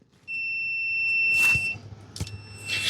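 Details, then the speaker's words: John Deere zero-turn with no-start, no-click electrical faults: meter on continuity beeps cleanly twice each time the seat is pressed; seat switch is closing properly and is good. "that seat switch is good so you just learned how to test the four pin switches and your seat switches the right way"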